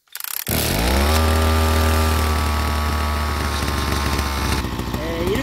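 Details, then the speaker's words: Gasoline two-stroke brush cutter started after a few quick pops, settling into a strong even buzz with no misfires or hunting, normal running; fuel valve then closed to run the carburetor dry and stop the engine. "예 이렇게 시동이 걸려 있는 상태로 연료 밸브를 잠그면 케레트 안에 있는 연료를 깨끗이 소모를 하면서 자동적으로 시동이 꺼지지"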